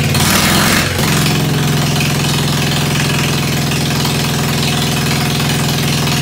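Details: Ford 100 at the end of a tune-up, started with a shot of starter ether on a roughly 40°F day: cranks and catches within a second, then settles into a steady, even straight-pipe idle with a crisp note, smooth and healthy.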